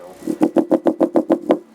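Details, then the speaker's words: Alpine Type S 10 D2 car subwoofer, repaired, wired to 1 ohm, free air, driven by NVX XAD11 amplifier at about 32–101 watts: about seven sharp popping pulses a second with crackly edge over the low note; popping distortion. "Whoa. Popping and snapping, crackling and popping. Yes, sir."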